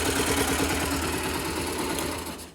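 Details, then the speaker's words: 2009 Yamaha YBR/Factor 125 after repair: even, steady single-cylinder beat with no top-end tapping; the earlier tec-tec noise is gone and the engine runs quietly. "puderam ver acabou aquele tec tec tec embora de boleta"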